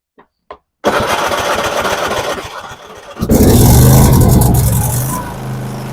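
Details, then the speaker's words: Craftsman YTS4500 riding mower with Kohler engine after starter replacement for a no-start; starter cranks briskly for a couple of seconds, engine catches strongly and settles into a steady even run; normal start. "There you go. Starter in just a couple minutes. You're good to go."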